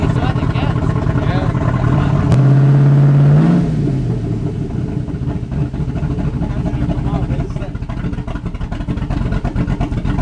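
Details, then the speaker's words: 2006 Chevrolet Silverado V8 with new 228/232 cam on 110 LSA and 3200 stall converter, untuned, exhaust not yet fitted: quick rev then loping choppy idle about four pulses a second; normal cammed idle. "it sounds good that chocolate is good damn it boy sounds good once we get the exhaust on there the Caps off and we get a tuned so it idles perfectly we're gonna be able to hear that chop"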